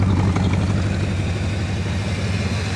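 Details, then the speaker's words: 1966 Ford Country Sedan, first run in about 20 years, oil not rechecked: steady, even low rumble at idle with no knocks or misses. The exhaust sounds pretty good and it idles as if it had been stored running fine. "oh we've got somewhat of an exhaust it actually sounds pretty good"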